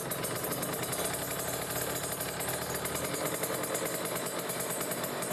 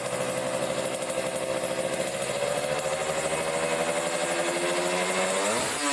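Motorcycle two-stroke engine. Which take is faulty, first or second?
first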